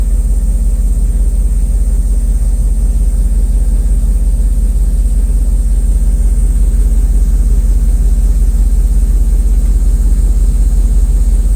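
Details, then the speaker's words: 1994 Mercedes S420 V8 after misfire repairs, exhaust at idle: heavy even low thrum, every pulse alike, no popping or skipped beats; all cylinders firing; normal idle. "listen to the exhaust cuz you can also gauge if the engine runs good if the exhaust is popping see this exhaust is steady"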